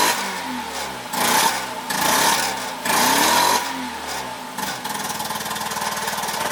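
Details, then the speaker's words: 1985 Mazda RX-7 GSL rotary after adjusting mixture and idle speed screws (idled around 200 rpm and died): surges and sags between blips, idles shaky and missing, like running on one rotor. "can hear it's like running on like barely anything"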